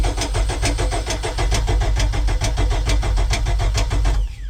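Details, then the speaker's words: 1995 MerCruiser 4.3L Vortec, Thunderbolt IV ignition, Alpha One Gen 2, on garden-hose cooling after six months idle, coil jumped to battery: starter churns evenly four-five turns a second, engine struggles to catch; long cranking while fuel comes up. "take a minute to get the gas going I'm seeing it coming up through the tube there"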